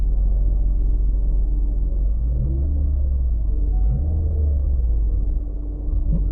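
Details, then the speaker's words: 2006–2012 Toyota RAV4 after fuel pump replacement with missing O-ring refitted (previously ran 5–10 seconds then sputtered and died, no fuel pressure): smooth steady idle, no hesitation or surging; normal idle. "but as you can hear it's running nice and smooth getting fuel sounds"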